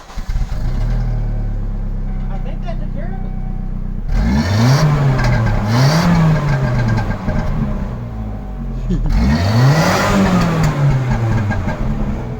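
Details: Car after replacing both vacuum-related sensors and clearing the code: clean double blip from steady idle, revs rise and fall smoothly with no stumble, hiss or surge; running normally.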